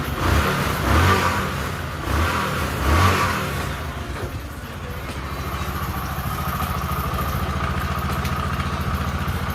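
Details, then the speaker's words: Bike started after sitting unused for one year; plugs were to be changed and a full service was still due. Two quick, clean throttle blips rise and fall smoothly, then it settles to a steady, even idle. It started fine and is running normally. "బండి అయితే బరాబర్గా start అయిపోయింది, మంచిగా అయితే start అయింది."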